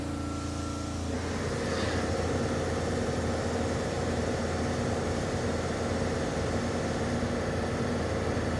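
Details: Mercedes CLA 45 AMG petrol engine idling with an uneven, lumpy beat: cylinder number 4 misfiring.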